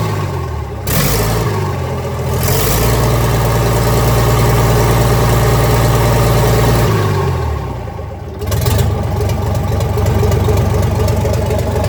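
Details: 1965 Gardner 6LXB 180 marine six-cylinder diesel on test stand after rebuild (it had failed 80 hours after a previous overhaul): fires up, revs cleanly, drops back to even steady beat without knocking; healthy running.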